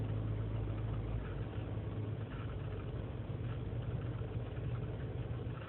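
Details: 2003 GMC Sierra Z71 5.3 L V8 (non-flex fuel), cold start after sitting overnight in single-digit temperatures, idling unassisted. Uneven, lumpy idle with rpm dipping to 500 and a misfire light; lean and misfire codes, owner suspects a failing intake manifold gasket.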